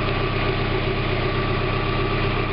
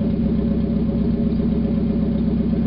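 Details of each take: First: 1991 Mazda Miata MX-5 after catalytic converter replacement, just started, not yet warmed up: steady, even idle with smooth low rumble, no puffing or ticking; no leaks around any exhaust flanges. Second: 1991 Mazda Miata MX-5, parked about 5 months, running with catalytic converter removed: loud, raspy, throbbing exhaust at fast idle dropping as revs settle; revs quicker and runs smoother without the back pressure.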